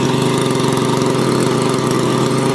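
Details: Makita chainsaw after starter ratchet replacement and fuel hose reconnection, full tank: even, buzzy two-stroke idle holding steady with no misses or surging; normal healthy idle.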